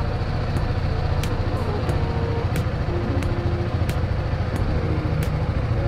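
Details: BMW G310GS single-cylinder motorcycle after replacing a dead battery with a new Exide 12V 9Ah battery: starts without trouble and idles with a steady, even, low thrum, regular beat, no misses or knocks; normal idle.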